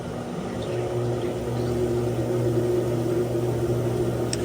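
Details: GE washer GTW460ASJ6WW in spin after gearcase replacement (previously roaring in spin with mode shift code 5 and a leaking seal): steady, even motor hum building smoothly into spin, no roar or grinding; normal spin.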